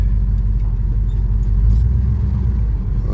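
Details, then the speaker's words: 1976 Chevelle Malibu with newly installed transmission, one quart of fluid, warming up, shifted into drive: deep, even idle rumble with no clunk, slip or whine; engine idles cleanly in gear. "I figure while it's warming up I'm going to see if it Go in gear come on God work with me here oh right in gear"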